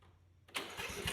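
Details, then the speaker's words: Troy Bilt riding mower, sat about five years, after carburetor cleaning, now with muffler refitted: starts at once and settles into steady, quieter, even run without the stutter it had open-exhaust; normal start and idle. "We got the muffler on it now, so it's quieting down and it runs better. It's not stuttering."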